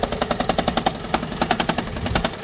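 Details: 2012 Toyota Prius on a morning cold start: harsh, rapid knocking at about ten a second as the rough engine shakes, then it clears.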